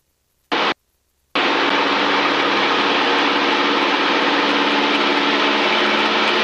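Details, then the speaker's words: Aircraft headset audio during takeoff, pilot on aircraft jacks and standby intercom: loud steady static hiss at 1800 rpm and above, fading near 1900–2000 rpm; suspected from the radio, possibly outside noise, not confirmed. "there's that noise you hear the noise yeah the static yeah it's tful isn't it yeah it's really loud yeah terrible that's from this radio"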